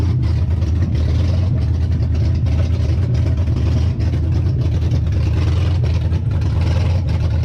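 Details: Hemi V8 swapped into a 98-03 Dodge Durango/Dakota, first start after starter and SKIM wiring with EVAP deleted and CAN-bus ignition disabled: deep, even rumble with steady beat, no knocks or misses; smooth healthy idle before quick shutoff.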